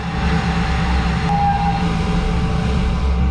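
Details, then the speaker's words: DN Solutions twin-turret CNC lathe boring with a Kennametal boring bar at lower speed, depth of cut reduced from 30 to 20: faint high-pitched squeal over the rumble; boring bar chatter still hurting surface finish. "can still hear her screaming in there a little bit still not ideal probably not giving us our surface finish"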